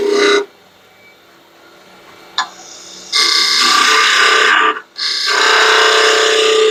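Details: Lathe turning a long stair spindle for a final-shape cut, with the spindle supported from behind with equal pressure to stop vibration. Even cutting hiss in bursts with no chatter or rattle: smooth cut without chatter.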